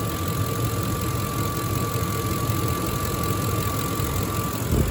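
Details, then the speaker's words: 2005 Ford F-150, 5.4 Triton V8, idling: steady, even V8 idle with a faint constant belt whine, no misses or ticking; a smooth runner that sounds good. Normal idle. "She's a pretty smooth runner. Sounds good. She sounds good. Love this old truck."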